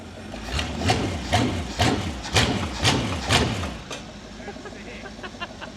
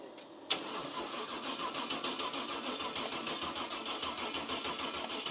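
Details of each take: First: Cub Cadet garden tractor with a 305 Chevy small-block V8, running after fuel was added but before the new fuel pump: deep throaty rumble, revs swelling about twice a second on the hand throttle, then settling evenly, like a boat motor out of water. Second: Cub Cadet garden tractor with a swapped-in 305 Chevy small-block V8 cranks steadily at about three turns a second but never catches; fuel starvation, owner thinks it may need a jump box.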